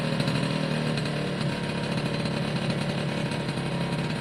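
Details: Suzuki AP50 two-stroke after carb clean and refit with airbox, revved by hand (throttle cable not connected): buzzy revs climb and hold cleanly without stumbling or popping once the choke sorted itself out; smooth revving, sounds better.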